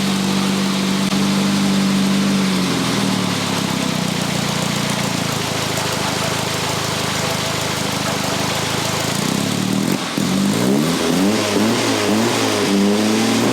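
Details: 1962 Austin-Healey Sprite after 10+ years' storage, after teardown fixing a bottom-end knock: even idle then clean smooth rev blips, no knock or miss; slight smoke, owner suspects weak cylinder 4, thinks it needs miles.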